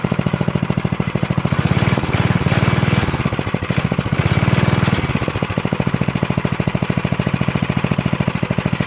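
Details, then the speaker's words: 1983 Stinger go-kart, 206 cc 5 hp engine, after tank cleaning and fresh gas: small snaps at a steady lumpy idle, picks up cleanly on two throttle blips to check clutch engagement, then settles; running normally. "so it does run what I just did was uh gave it some throttle to check uh the clutch on it to make sure the clutch was engaging and working"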